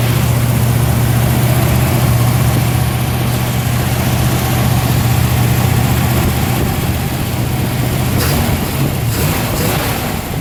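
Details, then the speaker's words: Cold start of an engine just fitted with a new Holley Sniper electric fuel pump, because the old pump gave too little fuel pressure, with a return line via the tank drain and a Holley dead-head regulator; fires and settles into a steady, deep, slightly lumpy idle, healthy. "go ahead and crank it up for you on this is a cold start have them crank it up today"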